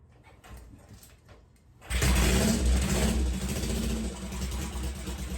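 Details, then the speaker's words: 1963 Honda CL72 Scrambler just after a carburetor swap, kickstarted, harder to start than before: catches after a pause, then runs lumpy and surging without a steady idle; smoked at once, owner suspects exhaust collars, timing unresolved. "All right. I don't know if that sounded right. Not sure."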